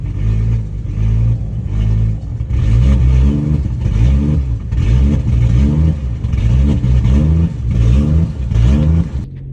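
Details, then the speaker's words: BMW 135i N55 engine idling after repair, codes cleared, coolant bled, running Valvetronic relearn cycles: steady low idle with gentle rhythmic swells, getting cleaner and smoothing out as cycles complete, no check engine lights; normal idle. "You can hear the idle getting a little bit cleaner too as the car is running through the cycles."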